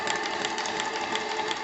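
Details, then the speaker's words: Articulated paddle-wheel model steam engine on its first steam test, small leaks from untightened glands and cylinder screws: quick, even chuffing beat with light mechanical clatter, steady speed and rhythm; running smoothly. "Bon bah écoutez, elle marche formidablement cette machine, elle est magnifique."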